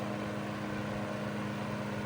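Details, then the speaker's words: 1941 Gilbert 12-inch fan on high, built for 110–115 V but running on 120–125 V, with a marked rise over low: smooth, steady motor hum and an even rush of air with no rattle; normal running on high speed. "Pretty significant increase from low to high, which is honestly not very common because these fans right here were intended to run on 110 or 115 volts."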